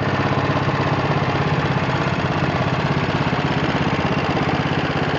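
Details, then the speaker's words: 1966 John Deere 110 lawn tractor, 8 hp Kohler single-cylinder, idling after sitting unused with the oil not yet changed: even thump with a light regular ticking of about three per second; slightly noisy valves. "And you can hear the valves ticking a little bit, but you know, little mess, ain't no big"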